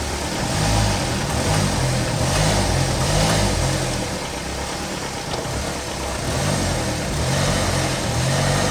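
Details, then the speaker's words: 2019 Ram Promaster City after replacing the rear engine mount, running and shifting through gears: even engine hum with mild rev swells and rain patter, no thumps or vibration noise; the engine no longer jumps on shifts. "You can see the engine is a lot more firmer when I shift it through gears. Now there's no more vibration noise anymore."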